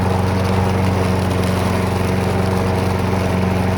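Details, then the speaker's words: Cheap abandoned Briggs & Stratton walk-behind mower running in cold weather on snow: after smoking at first, it smoothed out and holds a steady, even drone with no misses or surging for a couple of minutes. Normal running. "had to let all the smoke out of it before it started running good uh smoothed out started running better ran for a couple minutes and seemed to be running nice and smooth when I shut the thing off"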